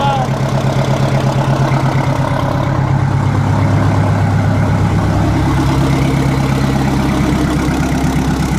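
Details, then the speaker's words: 1960 Kenworth W925 semi diesel at idle with the exhaust cut off, running straight off open manifolds during restoration: a loud, raw, unmuffled bark with fast, even, harsh popping pulses. The engine is leaking. "well that sounds like open hoping manifold let's find out"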